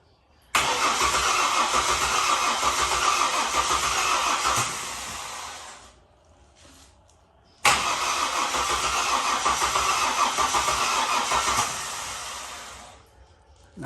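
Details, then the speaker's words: Ford BF XR6 Barra engine swapped in, cranking without starting: starter spins steadily about four seconds, twice, engine never catches; fuel pump noise suspected air, but cause was the main ECU plug half seated, after reseating it started. "well it looks like this this here wasn't plugged in properly I'm pretty sure that's in now that was the big plug on the ECU it was only half plugged in"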